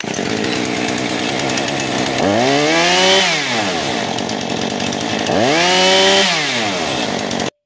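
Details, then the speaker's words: Husqvarna 435 chainsaw after carburetor replacement, having been badly flooded, idle and low screws adjusted: steady idle, then two quick blips that climb and drop cleanly back to idle without falling on its face; normal idle and throttle response. "when it gets all the gas that it wants you'll pull that trigger and instead of falling on its face it'll it'll idle up"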